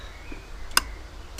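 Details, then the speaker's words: 2002 Vauxhall/Opel Corsa C 1.7 diesel, AC compressor being repaired after it stopped working: quiet background, then one sharp metallic click with a faint second tick. The compressor clutch engages normally when powered from a tester at the relay box. "Oh yeah, there we go. You can even hear it."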